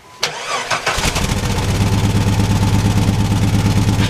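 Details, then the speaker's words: Jeep that suddenly shook violently and lost power below about 2000 rpm: engine catches and settles into a lumpy, uneven idle, stumbling about three times a second; clear misfire, oil shows no coolant or metal. "guys so you can see it's got a misfire and something's not right"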